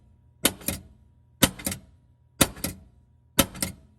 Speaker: So, you can hear that after I put the grease on the metal parts that the squeak is now completely gone.